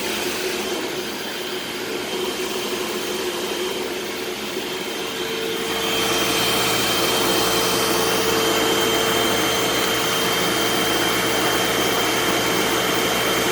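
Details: Eureka SmartVac 4870 upright vacuum rebuilt from two broken machines, running on high-carpet setting: steady motor whir with fixed high whine picking up slightly halfway, smooth, no rattle; normal running, though the belt later seems to slip slightly.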